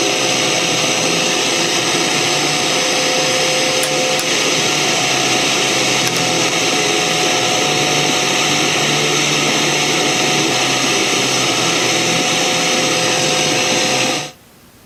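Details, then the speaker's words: Panasonic RF-2600 shortwave radio on weak fringe FM station: steady hiss with faint fixed whistles; owner suspects interference from a wireless router. "so on the 2600 you could kind of hear some noise in the background and I believe that noise is coming from my wireless router"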